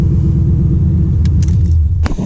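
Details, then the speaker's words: 1996 Impala SS with LS1 swap: deep, steady V8 idle, even low rumble holding speed without hunting or stumbling; owner thinks the IAC relearn or PCV fix cured it; normal idle. "But it's holding its idle on its own now. So the ultimate test will be tomorrow, but I think it's fixed."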